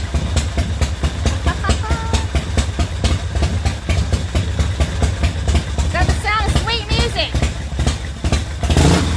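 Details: 2004 custom Harley-Davidson V-twin, bought as a non-runner, running after a primary chain gear refit with Permatex and a set screw: deep, loping idle, steady and even with no knocks or rattles; healthy.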